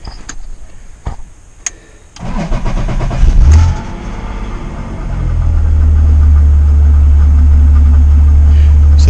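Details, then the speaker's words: BMW E36 drift build; engine cranks briefly, catches and settles into a steady low idle while running without the MAF sensor; with the MAF plugged in it dies, pointing to a failed airflow sensor; battery had also been losing charge. "currently running without a math uh and it runs a lot better uh when i plug the math in the car just dies"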